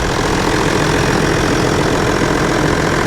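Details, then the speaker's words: John Deere 7420 idling after Stanadyne DE10 injection pump replacement for ECU 1076 fault code, during leak check: steady, even diesel idle with dense low rumble, no misses or knocks; normal idle, high-pressure line leak to fix. "Oh, seems to be running pretty nice."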